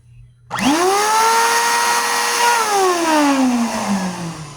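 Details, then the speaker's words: 2021 Bissell AeroSwift Compact upright vacuum, model 2612, three years old; motor winds up to a loud shrill siren-like howl then sags, suspected bad motor needing strip-down and service. "this vacuum is 3 years old and there it's already sounding awful"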